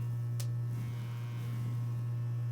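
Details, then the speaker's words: 1977 CTS guitar speaker on a test tone: a steady low tone with a faint raspy buzz on top. The voice coil is rubbing because the frame is bent oval and out of round, and the buzz stops when the frame is pressed. "the coil is out of alignment with the frame there we go I'm going to turn this up so you can hear that better"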